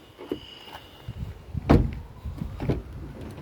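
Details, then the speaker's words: Car door swinging: thin high squeak plus dull thumps. Lithol, graphite grease and oil never lasted; a quick fix was spraying plastic/dashboard polish on it, after which it squeaks maybe slightly. "эта дверь. Слышите, какой скрип?"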